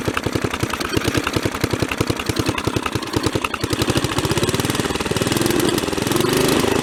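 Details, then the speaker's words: Mid-1980s Snapper commercial rear-engine rider, 11 hp Briggs & Stratton industrial L-head engine revived after sitting four years; running about half an hour at up to full throttle, crisp regular single-cylinder popping and spitting, no smoke; ignition probably needs work, otherwise normal running. "um been running now for probably close to half an hour and i don't see any smoke coming out of it the ignition system probably needs a little work it's popping and spitting"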